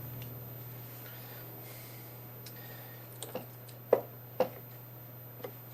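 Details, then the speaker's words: Small 9-volt Geiger counter held to a camera lens: quiet room hum, then sharp irregular clicks, about six in three seconds at random spacing; counter picking up radiation from the radioactive lens. "I don't know if you can hear it crackling away I know it wants to bite me"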